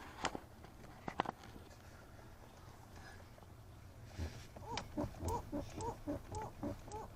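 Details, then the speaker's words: Lexus RX300 steering shaft rubber boot, near the brake pedal where the shaft and universal joint enter, squeaking rubberily about twice a second as the wheel turns. The squeak was cured by greasing the boot. "да входит рулевой вал где крестовина есть такая резиночка вот тут И вот она и скрипит слышите"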